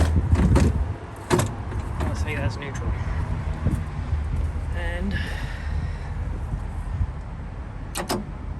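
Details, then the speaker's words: Cummins diesel in a 352, in neutral on batteries after installing a new starter solenoid, injectors out: starter turns the engine over with a steady, even low churn, no binding or hesitation, showing the engine is cranking normally and not stuck. "All right, there we go. It's cranking. It's not stuck."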